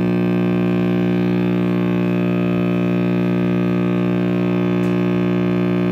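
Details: Vintage RCA Victor X551 radio after restoration with recapping and power cord rewiring: loud, constant low hum with buzzy overtones; owner suspects the last filter capacitor soldered in is unconfirmed or bad.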